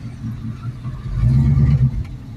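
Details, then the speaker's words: 1972 AMC Javelin AMX 401 V8 automatic with Edelbrock 1407 750 CFM carburetor, shifting into reverse on a test drive after cold start: low even rumble dips briefly as reverse takes up, no clunk or slip; engages fine. "It engages fine. Down into drive."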